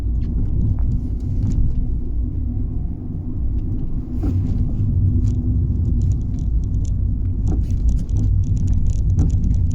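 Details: Fiat 500 driving: deep road rumble broken by occasional sharp knocks or clunks from under the car over bumps and on normal roads, every drive; cause unknown.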